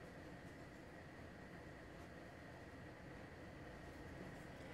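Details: LG portable air conditioner on fan-only setting F1, measuring about 46 dB against 38–40 dB when off. A soft, steady airy rush with a faint constant tone and no rattles or rubbing, running normally.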